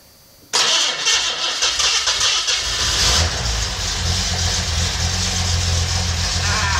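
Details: $50 L28 six (240Z) freshly rebuilt with chrome-moly rings and new bearings, first fire-up: short crank, catches and settles to a steady even idle, no knocking or ticking; good oil pressure, no smoke.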